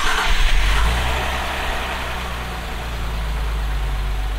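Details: 2024 Nissan Z after its first oil change, started with about five litres in: fires and settles into a smooth, steady low idle with even beat, no ticks or knocks; sounds good.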